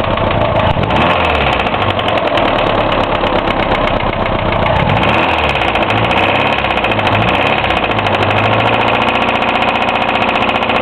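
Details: Hillman Imp engine, freshly reassembled, one of its first starts: rough idle with a hard, rapid metallic knock throughout; bearings checked unworn, tappets within tolerance, oil full, cause not found.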